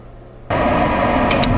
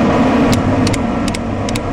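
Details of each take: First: RuiDa RDC644X laser controller set to processing-flow blow mode: pneumatic air-assist solenoid clicks on once at start of engraving, then steady rushing airflow holds evenly until it clicks off at the end; normal air assist operation. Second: RuiDa RDC644X laser controller set to laser-on blow mode, mic beside the air-assist pneumatic solenoid during engraving: sharp clicks two or three a second over fan hum as the solenoid switches on and off with every laser line.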